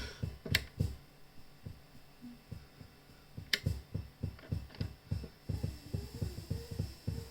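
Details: Behringer Murf pedal, all controls up, guitar plugged in, two power supplies tried: soft low thumps about three per second in time with the pattern behind a faint hum, audible even with output down; noisy internal clock suspected.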